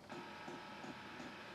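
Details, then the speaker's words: LF Bros N4 5 kW all-in-one diesel heater, first start outdoors on an Anderson connector: faint soft ticks every third of a second over a fan hum as the dosing pump draws diesel; normal startup. "And here we can hear the first clicking sound, because it's pulling in the diesel."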